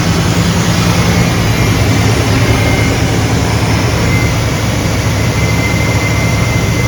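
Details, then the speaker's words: Chevrolet C10 V8 after new exhaust and replacement of a leaking coolant hose, idling to bleed the cooling system: loud, steady low rumble with even beat, no knocks or squeals; smooth normal idle, no more air bubbles. "Alright guys, she's pretty much at idle now, and it doesn't seem like any more air bubbles are coming out, so I think we're good."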